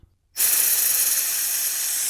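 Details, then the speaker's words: Ducati 748 clutch failure, slave cylinder suspected: vacuum bleeder switched on at the open bleed nipple of the empty clutch system gives a sudden steady sharp hiss with no pulsing, drawing down fluid normally. "And that is already straight away pulling down. You can see it dropping down."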